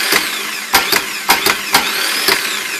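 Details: Rebuilt, reinstalled starter on 2005 Winnebago 38J, Workhorse W24 chassis, 8.1 Vortec, after intermittent no-start, run from battery booster: whirring spin rising and falling with sharp clanks as it engages; starter turns freely and engages properly.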